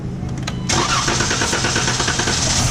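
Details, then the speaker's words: 2015 Chrysler 300 no-start, cranked with starter fluid sprayed into the intake with the intake duct removed: a few cranking whirs, then it catches and runs rough on the fluid before shutting down; the fuel pump is suspected of not supplying fuel. "so the car started up and it shut back down cuz it doesn't have enough gas"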